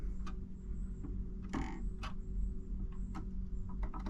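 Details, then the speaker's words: Marantz 6100 turntable after fixing the popping noise, grounding connector attached: low steady motor hum and light clicks as the arm returns at runout; the motor switches off with no speaker pop. "And there's the motor clicked off. No pop."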